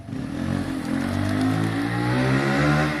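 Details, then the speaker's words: Keeway/Benelli 125cc single on a test ride after carburettor clean, previously not revving properly, spark plug not yet cleaned; pulls cleanly, pitch climbing smoothly and holding steady with no misses, normal running and revving. "oh wow sounds and looks lovely yeah that's riding perfectly guys we haven't even cleaned the spark plug yet not that that makes much difference that's running well"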